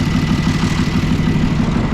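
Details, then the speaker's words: Old military truck engine, unmoved over nine years, on a makeshift fuel system, started with ether and a hammered starter: steady, even chug at idle with a deep regular beat and no misses. "there she is we're sitting here idling scrape some ether Downer hammered the starter with the hammer a couple times and it just decided to crank up and run sweet"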